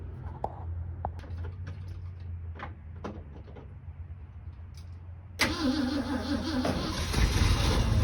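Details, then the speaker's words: 1967 Ford F-250 Highboy, 352 V8, four-speed, long abandoned: slow cranking with scattered clunks, then the engine catches and runs rough while started in gear with the tire strapped to break a stuck clutch loose. "I'm going to put it in gear try to start it in gear with the tire strapped it's either going to break a strap or break the clutch loose"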